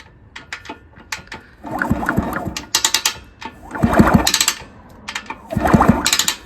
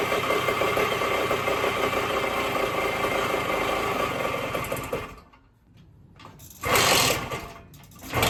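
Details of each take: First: 1974 Indian SE74 dirt bike, Minarelli P4-70 engine, sat about 30 years, kicked over: uneven dry crunching in bursts with each turn; something grinding on cranking, cause not yet found. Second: 1974 Indian SE74 dirt bike, Minarelli P4-70 two-stroke, after ~30 years sitting, carb rebuilt, magneto key replaced, points reset; even fast idle then blips while idle screw is turned out to lower rpm; running normally.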